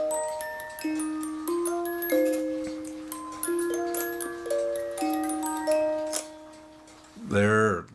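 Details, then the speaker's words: Cuckoo clock music box after trimming the plastic tube so it catches the hole at the fan (governor): tinkling tune plays out evenly, then halts cleanly. Music box stops correctly after repair. "that is exactly what you want now if you ended up cutting off too much of the tube now you can slide the tube closer just a little bit to stop the fan where you need it to stop"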